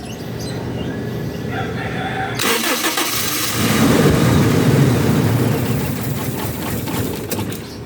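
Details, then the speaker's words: Starter relay bypassed and jumped with key on during fuel pump troubleshooting: starter whirs, engine catches and revs briefly, rough and uneven, then sags and dies; owner suspects something stuck and plans to pull the intake, fuel pump suspected. "Umandar siya pero namamatay. Try natin ulit. Ayaw pa rin."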